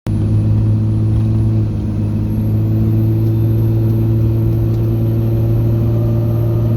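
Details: 2005 Dodge Ram 2500 4x4 Cummins diesel running with a steady low hum and a thin, very high squeal that creeps up in pitch; humming and squealing noise.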